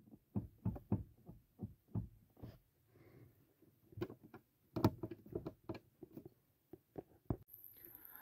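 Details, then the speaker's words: Chevrolet Onix/Prisma/Cobalt/Spin interior: dull irregular knocks in bursts as the front seat is rocked sideways, from a loose seat mounting bolt, worst with no one in the passenger seat. "E aí você vai perceber que esse parafuso aqui ó eu vou mexer nele aqui ó Oi ó ver ele tá flores e esse parafuso pessoal e luxo Principalmente quando tem ninguém no banco carona bom e fica fazendo esse barulhinho"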